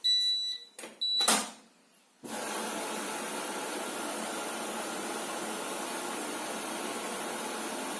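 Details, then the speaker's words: Zanussi Acycle 1000 FE1014N washing machine, also with humming bearing: a few quick high beeps then a steady rushing hiss as the rinse program stops and goes no further; rinse-cycle error, fault not identified. "потом опять сюда переходит, опять пищит, и все, и дальше ничего не происходит."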